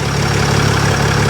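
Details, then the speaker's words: Mercedes ML350 started after sitting unused a long time: low, steady, even idle with no misses or knocks; running surprisingly smoothly. "oh yeah it's surprising just how smooth it's running like i said to see how long it's not run for"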